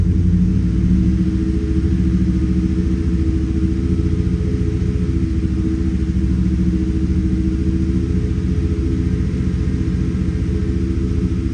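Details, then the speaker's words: 2018 Chevrolet Silverado V8 after injector work, run on a jump starter with a weak battery; deep idle with an uneven stumbling pulse; scanner live data shows misfires on cylinders 3 and 6, MAP sensor code also set. "Misfire, no, no, no. Cilindro tres me marca. Okay, misfire. Cilindro seis, miren. Me sigue marcando."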